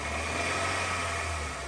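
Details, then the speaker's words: Honda City i-VTEC during full service, wheel spun on lift to check bearing: smooth, steady hum with no growl, rumble or grinding; wheel bearing has no noise, normal. "Bearing की कोई noise नहीं है।"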